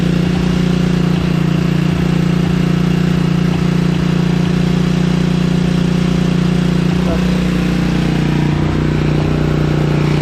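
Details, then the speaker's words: Kawasaki KLF 300 ATV single-cylinder after engine rebuild and neutral gear holder repair: steady, even idle with smooth low thump, no knocks or misses, no more smoking; normal idle. "Hey, after we build the engine, it sounds good, guys."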